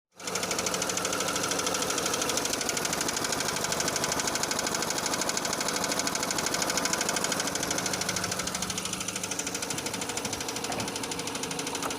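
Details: Renault Scenic II K4M 1.6 with automatic, 202,000 km: hard regular knocking about three per second from low in the engine, steady over idle, appearing as engine warms; engine knock.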